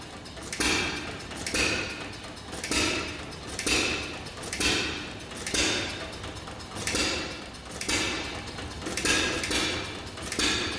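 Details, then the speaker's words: 1933 John Deere Model E hit-and-miss engine with igniter: sharp pop about once a second then chuffing as flywheel coasts; running normally. "kind of a fun engine to listen to run just the hit and miss where it pops and chug chug chug chug chug chug chug chug chug chug"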